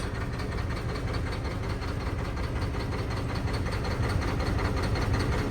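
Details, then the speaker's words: Mack diesel truck after fuel filter change, suspected lost prime, hand-primed and started: lumpy uneven idle with irregular thumps and stumbles about three per second, like an injector not working; smoother after more priming; misfire from air in fuel. "Oh my God, it's running so rough. It's running so rough."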